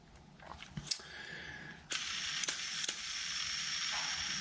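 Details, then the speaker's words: Daiwa Ryoga 1520cc fishing reel after Boca ceramic bearing upgrade, light even whir as handle turns with few soft clicks, no grinding; smooth-running reel with new bearings. "you can hear the new bearings in there. Ready to go."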